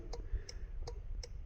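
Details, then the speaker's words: Trailer left turn signal rechecked after rewiring and reinstalling a grommet light: crisp, even clicks about every 0.37 s on the tester, nothing skipping; signal flashing normally. "I hear the nice audible on my tester and actually if I peek under the trailer I can see it blinking over there"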